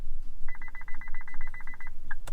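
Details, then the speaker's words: INFINITI push-button-start vehicle during smart key fob programming with a Simple Key programmer: fast run of short mid-pitched beeps when the fob is held up, indicating a programming error. "do you hear that the vehicle is beeping at me quickly when i hold this up"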